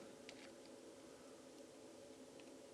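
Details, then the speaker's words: ZD-915 desoldering station after fan replacement; quiet steady fan hum holds pitch through faint pump clicks, no slowdown of the fan anymore under pump load; works as well as before or better; normal. "actually and there's no slowdown of the fan anymore at least it still works as good as before if not better"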